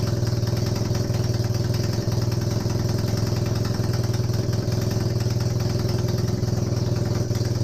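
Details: Honda CB250N Superdream, rebuilt from boxes of bits, with new spark plugs, warm restart with no starting gas. A steady, even low idle thump with no misses or knocks. Normal warm idle, though an oil leak shows at the engine front.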